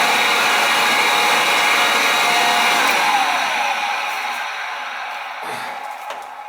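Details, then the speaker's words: Oil-fired boiler not heating the house: the burner motor gives a rough, steady whirring hiss with a gritty edge, then winds down. The burner motor is failing. "you will get for oil flow motor sounds like the baron's gonna walk on us"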